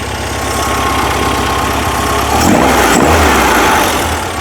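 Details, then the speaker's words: 1978 VW Super Beetle 1776cc after base timing set during tune-up: steady, even idle right at 1000 rpm with a smooth rhythmic beat, no pops or misses; normal idle. "Idling right at a thousand. Running smooth right now. Usually this is a good dividing line where it starts jumping around like this. It sounds good."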